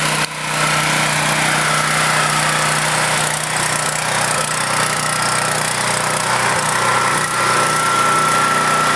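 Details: Portable generator left unused for several years, started with choke after fresh gasoline and the spark plug refitted; a steady, even drone of constant pitch with no misses or knocks, running like new.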